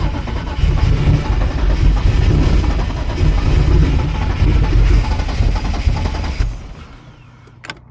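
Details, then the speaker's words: Turbo BMW E36 running lean, morning cold start after fuel pump install: starter grinds about six seconds without the engine catching, then drops away; overly long crank. "it should not take this long yo that thing is priming it's definitely primed come on there we go"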